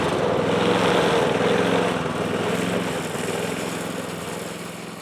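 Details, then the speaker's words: Yard Machines Gold Series MTD mower mowing after oil squirted into the cylinder (smoking): labouring, uneven wavering beat under load; runs poorly with low compression. "you guys can hear how it's running it ain't running good"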